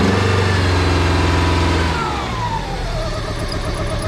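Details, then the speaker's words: 1995 Plymouth Neon, low mileage, long-stored with old gas, treated with Berryman's: settles from higher rev into uneven wavering idle with slight miss; rough running owner attributes to old gas, clearing up. "Little shaky. Like we said, y'all, that gas is old. Oh gosh. She's clearing up."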